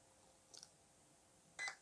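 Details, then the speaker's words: RC car speed controller, program button held while switching on the power: a faint high beep, then two loud high-pitched beeps in quick succession, with the light flashing in time. The controller is entering programming mode. "okay i'm pressing the program button and about to turn on the power okay it's flashing at the same time as beating now"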